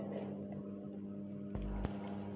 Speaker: হ্যাঁ। ঠিকই আছে। এইযে দেখেন ঘুরতেছে।